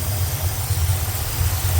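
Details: 1975 Corvette V8 after new plug wires and carburetor mixture adjustment: low, lumpy idle with slightly irregular pulses and heavy rumble; owner suspects the carburetor is too big for the engine and is dumping in a lot of fuel, possibly running rich, cause unclear.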